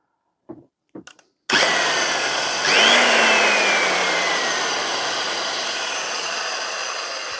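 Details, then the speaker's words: Vintage circular saw running without a blade after a cord, plug and earth check: the motor spins up to a steady high whine and coasts down smoothly with no bearing noise or grinding. Healthy, powerful motor. "wow that actually sounds much better than a new one although it probably makes a slightly different sound of not having a blade on [Music] it but that motor feels very powerful"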